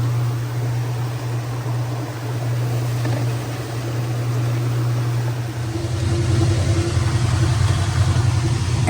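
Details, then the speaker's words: Direct-drive Kenmore 600 washer (110.29622801) after replacing slipping clutch and center seals: motor hum climbs smoothly as drum spins up after draining, no slipping surge or grinding; new clutch working. "Lookie there. New clutch doing its job. Come on now. There you go."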